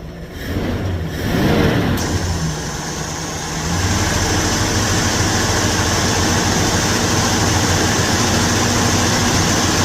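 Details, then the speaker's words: Revived junkyard 1977 Ford Thunderbird V8, carbureted, with a leaking radiator, idling steady and fairly smooth after some wind and handling noise, with no misses or knocks, a normal idle. "It is idling and running pretty smooth."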